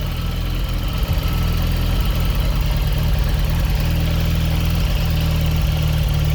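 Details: Fiat X1/9 engine idling and revving: deep, uneven idle that stumbles and lopes irregularly with low thumping pulses that never settle; rough idle, cause unclear.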